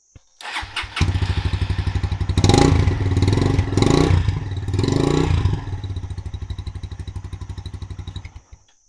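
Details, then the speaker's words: Motorcycle that previously only clicked and would not start, after the fix: it cranks and fires at once, blips a few times, then settles into an even, steady idle. A clean first-try start. "let's start the engine and see whether that's going to solve our problem I really hope so oh oh yeah one start"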